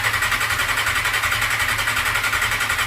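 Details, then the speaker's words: Suzuki GSX-R750 being revived, with ignition wired loose and the fuel pump priming: fast, even starter whir with compression pulses about four per second, but it never fires. Battery seems okay; cause not confirmed. "Of course, it's not working still. So I checked the battery. Battery seems to be okay"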